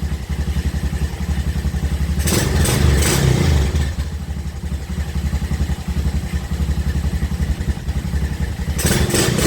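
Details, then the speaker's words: 2007 Honda Recon ATV, wrecked and sitting 8–10 years, started right out of the box with fresh gas and battery: even, steady single-cylinder thumping at idle with no misses and no visible smoke; normal idle. "Right out the box, I didn't touch anything. And she is idling. I don't see any smoke coming out. That's good news. She runs, she idles."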